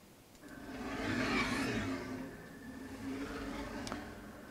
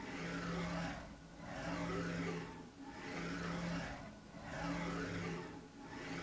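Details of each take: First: KR33 mini CNC homing/rapid moves with ClearPath servo: whirring tone rising and falling each move, from a used ball screw actuator hanging between two beams, not the motor; ball screw noise. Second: KR33 mini CNC, ClearPath digital servo on axis actuator jogging back and forth: soft low whir swelling and fading about every 1.5 seconds; quiet, smooth normal servo operation.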